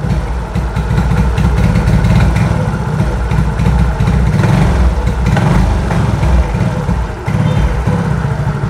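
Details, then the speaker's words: Old-type Yamaha X-Ride scooter (MIL code 46) idling unevenly, stumbling and sagging with misfire (brebet) and stalling after long misfiring; dash lights flicker on kickstart, weak unstable battery power suspected before TPS sensor. "Coba kita tes G g teman-teman kan teman-teman tu kan berebat teman-teman jelas ini gak akan bisa lari motornya teman-teman ya"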